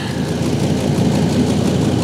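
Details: 2005 Ford Super Duty, lifted, 6.8L Triton V10, idling outside during a cab carbon monoxide check after an owner-suspected exhaust smell: steady, smooth low rumble with no ticking or puffing; sounds healthy, no exhaust leak heard.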